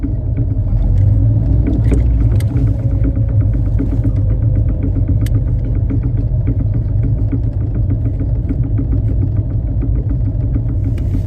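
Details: Triumph Spitfire 1500 at idle: steady, evenly spaced ticking knock locked to engine speed, light rhythmic tapping; engine knocking noise of unknown source, owner asking for help.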